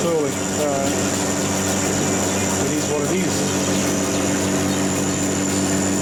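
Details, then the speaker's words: Lathe machining the back of a differential crown wheel with a smaller-radius tool: steady harsh ringing over the spindle drone through the whole cut; tool chatter, worse than on the previous crown wheel. "this one's chattering worse than the other one I'll see how it go"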